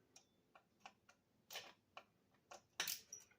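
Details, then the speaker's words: Imex Samurai / VRX DT5 short course RC truck with a 3660 2600kv motor, gear mesh checked after refitting the motor screws: light sharp clicks about one a second, a slight gap in the mesh with no binding, set correctly. "you can hear that little click on my new little tap you got it right"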